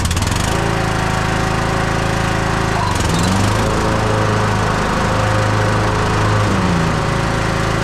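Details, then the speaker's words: Husqvarna YTH21K42 ride-on mower after fitting a shorter 100-inch deck belt to stop it coming off: engine holds a steady drone, dipping briefly as blades engage and recovering cleanly; belt stays on, running normally. "so the M's working good a the blades are on good and tight and that belt hasn't come off once"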